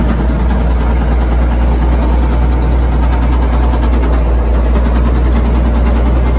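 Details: Old Komatsu WA180 wheel loader diesel running rough with a deep steady knock about four times a second under the rumble; suspected rod knock, engine died earlier and owner considers it cooked, unconfirmed.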